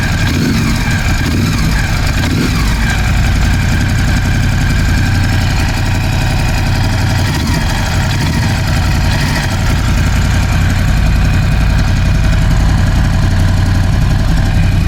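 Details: Ducati Scrambler 1100 V-twin idling after replacing the horizontal cylinder and piston: loud uneven idle with a dull, irregular tapping knock under the exhaust beat; suspected piston slap, not confirmed.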